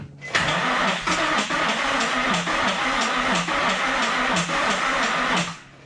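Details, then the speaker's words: 2003 Nissan 350Z Enthusiast Edition bought not running: starter churns about three turns a second with uneven whirring, never catches; seemingly no spark, as the seller said. Crank, no start, no spark. "the battery off didn't seem like it's getting any spark that's kind of what the guy was telling me before is that it wasn't getting spark"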